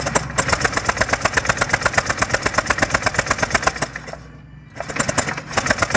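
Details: Honda PCX150i scooter that won't start after sitting a long time; battery was dead, now charged. Fast, even starter chatter at about three beats a second, cranking steadily with no catch or firing. Spark plug is out and showing spark.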